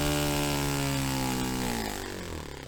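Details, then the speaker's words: Restored Saito FA-45 Special on a test stand, 10% nitro fuel, running a fairly rich tune. A steady buzz sags and fades within a second or two as the engine cuts out when opened to full throttle. Owner suspects it may be too rich; cause is uncertain. "So I've got it on a reasonable, quite a rich tune now, I think, just to try and get a clean transition from low to high, and it works a few times, and then on a final time when I give it a push up to full throttle it cuts out."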